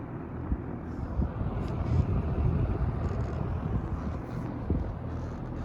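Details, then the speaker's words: Vintage Wells Royal S-122 fan running on low, freshly oiled and previously run overnight without trouble: soft, even airy hum with no buzzing, rattle or ticking. Normal fan operation. "so now we're gonna run on low no buzzing as you can hear i ran this one overnight and that one overnight the other night too so these fans both run very well overnight"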